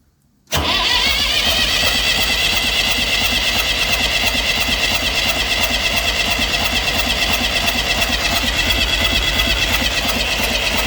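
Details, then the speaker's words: Massey Ferguson 35 diesel tractor, not started in weeks, second start attempt. Water leaks, fuel leak, and radiator needing replacement. Steady, fairly quick cranking for ten seconds without catching cleanly: hard-starting diesel. "Well, let's see if she likes a little goat juice. She tried a little."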